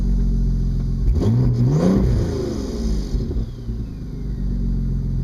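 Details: 2002 Audi S4 after Stage 2+ upgrades: a loud, raspy exhaust blare from mid-car rises on throttle and eases off the gas. Exhaust leak; rear O2 sensors not fitted into the mid pipes.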